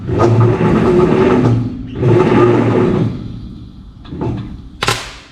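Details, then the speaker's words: Free 1951 Plymouth, formerly locked-up engine, five plugs reinstalled, 12-volt coil with ballast: sluggish uneven cranking about two bursts per second with audible compression push each stroke; spins too slowly to start. "But it's not spinning over nearly fast enough to start it."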